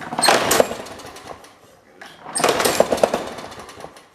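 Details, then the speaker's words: Trash-picked Toro Super Recycler push mower with Personal Pace self-propel, year unknown, first start test before the air filter assembly is refitted: two loud bursts of harsh, jackhammer-like rattling as it fires, the engine shaking loose on the deck; mounting needs tightening and the blade needs sharpening. "That motor's loose. before I do anything, I should sharpen that blade, and I really should tighten down that engine."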